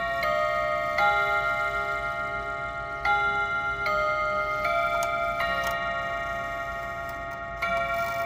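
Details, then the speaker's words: Mechanical clock after first service (taken apart about 36 hours earlier), Westminster chime then hour gongs: clear sustained strikes one to two seconds apart, counting eleven; striking works properly, much better than before service. "One, 2, 3, 4, 5, 6, 7, 8, 9, 10, 11. So the clock thinks it's 11 o'clock."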